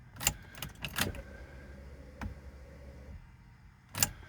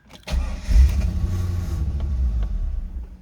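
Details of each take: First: 2000 Chevrolet Corvette C5, long-parked barn find that starts then dies: after key click, faint steady electric fuel pump hum for about two seconds then cuts off; priming to build fuel pressure. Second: 2000 Chevrolet Corvette C5, long-parked barn find, first start attempt: catches with a loud burst, runs roughly a couple of seconds then dies; low fuel pressure suspected, not confirmed.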